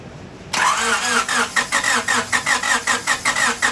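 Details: 1998 Honda Civic with a long-sitting replacement engine swapped in after a rod bearing failure: rhythmic cranking pulses, about four a second, with a chirping squeak on each stroke, which the owner blames on sitting, then it fires up; normal start.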